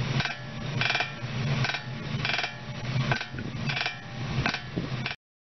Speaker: Sebenarnya bunyi merekek ini tidak berlaku secara langsung di dalam sambungan. Getaran ringan berlaku terlebih dahulu pada sambungan dan getaran itu diperkuat dalam bahagian yang bersambung menghasilkan bunyi.